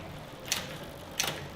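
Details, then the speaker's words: Bicycle rear derailleur after adjustment, pulleys centred under the chain: two crisp clicks as the chain drops onto the next cogs, clean quick shifts with quiet freewheel between; shifting normally. "everything should sound nice and crisp and that's it you are done ready to ride"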